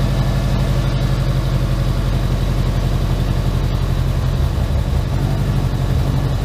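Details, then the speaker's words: Rebuilt Subaru Impreza boxer with SOHC heads, first run in over two years: steady even low idle settling in, no knocks, misses or ticking; running normally, check engine light on. "To start with, but it's definitely smoothed out. I'm not gonna lie, this looks really good right now. It's running nice, idle just dropped."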